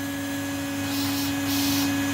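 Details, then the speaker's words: Vacuum cleaner recovered from the tip, damp, used without a bag, on low setting: steady motor hum with constant tone and even airflow rush, no rattles or grinding; runs fine though suction weak. "anyway we'll plug it in how it works - sounds alright"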